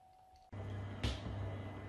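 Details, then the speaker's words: Worcester Greenstar 30SI Compact boiler after condensate trap removal and refit, running on hot water and heating: soft whoosh on ignition, then low steady burner and fan hum, no rattles or gurgles; normal firing, quieter than before. "right so i've been running the boiler for a bit in hot water and heating and it seems a lot quieter now"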